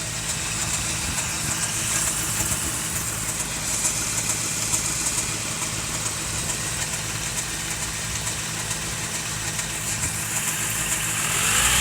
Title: 88 4Runner 22RE strange noise.